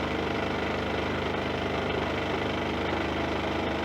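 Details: Champion 2000-watt inverter generator after replacing the broken recoil pull rope: steady even small-engine drone with light regular pulse, no misses or knocking; idling healthy, lights on.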